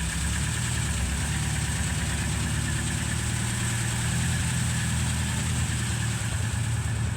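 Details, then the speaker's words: 1936 Rover 12 tourer, about 90 years old, first start in March after three months' winter layup, head cleaned last year, about 7 °C outside: low steady idle, no knocks, misses or hunting, oil pressure 20 rising toward 30 when warm; normal cold idle. "It takes a little while for the oil pressure to come up. We're at 20 at the moment. It'll go up to 30 when it's fully warm."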